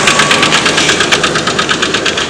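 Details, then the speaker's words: Red truck idling in neutral (won't go into park); steady idle with sharp, regular, evenly spaced ticking knock — engine knock, cause not pinned down; owner thinks the engine needs replacing. "very great truck but you can hear why i need to change or get my engine replaced"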